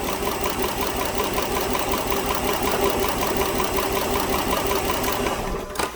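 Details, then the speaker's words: 2010 Dodge Journey 3.5 V6 idling after restart with a clattering tick and uneven beat: misfire with MIL on and code P0206, diagnosed to the number 6 injector; it wasn't missing when first driven in. "so it's missing on a startup i'm sure it wasn't this viking you can see it misfiring now but it wasn't misfiring before"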